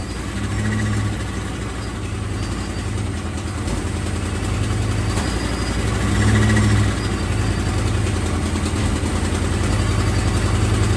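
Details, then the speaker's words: Procharged 1996 Mustang GT at idle with EGR ports open and header rusted out on the bottom: deep, steady V8 idle with loud raw exhaust pulse and faint puffing, exhaust leak at the header. "And the header is rusted out on the bottom side. So it's going to be very loud. It's not going to sound good, but I at least would like to see if the engine runs better."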